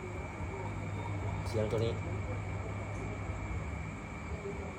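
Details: Small electric fan that would not spin, retested after replacing components: steady even low hum with faint constant high tone, no knocks or rattles; fan motor running smoothly after repair.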